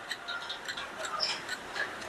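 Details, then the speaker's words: Infrared induction cooktop, cover removed: light uneven ticking, a few per second, from cooling fan blade rubbing lower housing because fan was not seated down; fix by pressing fan into place and cleaning. "आपण हा पंखा जो आहे हा खालच्या बॉडीला घासतोय त्यामुळे याचा आवाज येतोय"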